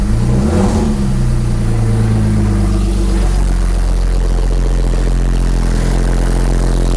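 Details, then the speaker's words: Porsche 911 Turbo 997.2 9A1 rebuilt engine, first start after rebuild: catches, flares sharply, then drops to a deep, steady, even idle with no knocks or ticks; healthy start. "all right let's try it again foreign there we go it's shot up right there okay okay"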